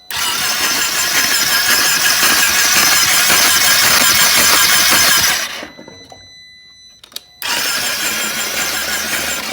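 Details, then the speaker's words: Flood-damaged 2020 Can-Am XMR 850 from salvage, spark plugs out, cranking fast and even with a hissing spray as water shoots from the cylinders, then a pause; cranking flooded engine expelling water, not locked up. "At least it's turning over, you know. Yeah. Oh yeah, go ahead and keep doing that. Don't get my camera wet. This thing is shooting like a paintball gun."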